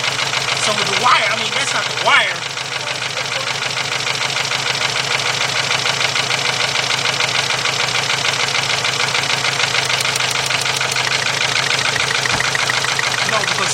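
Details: 2.0 Volkswagen (Beetle/Golf/Jetta family), bought, fuel pump replaced and running badly, jump-started at idle: uneven idle with a stumbling beat about three times a second as cylinder 1's plug wire is pulled; steady single-cylinder misfire on cylinder 1.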